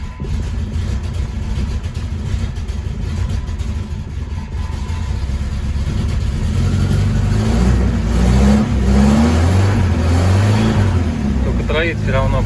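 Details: Moskvich/Izh combi carbureted car just fitted with new air filter, spark plugs and ignition leads: engine catches and climbs in revs but chugs unevenly with a stumbling beat, a misfire; the parts did not cure it, cause not confirmed.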